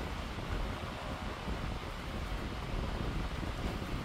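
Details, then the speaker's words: 16-inch Pelonis oscillating stand fan, a modern curb find, running on high (little speed difference from medium): steady, even rush of air with no ticking, scraping or wobble; very powerful, normal fan operation. "say the performance is really good that is insanely powerful for a monor fan"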